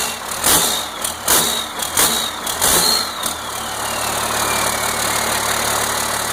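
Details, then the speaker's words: 1992 Cummins 5.9 12-valve diesel on its first start after a complete rebuild, once 12 volts was connected to the fuel solenoid: brief cranking, then a steady, even idle with no knocks; normal start and idle. "this is a a 1992 2 12 valve cumins Diesel and this is the first start since it's rebuild and I'm going to I'm going to show you what it sounds like right now"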